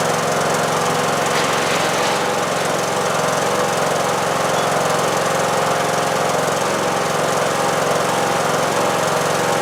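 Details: Replacement single-cylinder engine in a John Deere D110 lawn tractor, after an engine swap for a blown engine, running about 10 minutes: even, steady idle with no knocks or misses; owner may adjust valves for slight noise; normal idle.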